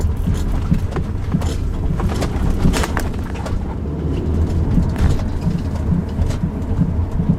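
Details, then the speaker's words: Recorded in the rear cabin of a 2007 Subaru Outback driven over bumpy roads: irregular dull knocks with faint squeaks over road rumble, caused by a left rear upper strut mount that had come apart; the mount was replaced. "yeah I don't know if you heard that or not but there was kind of a knocking and sort of a squeaking that went along with it sounds like rubber bushing like that's failed"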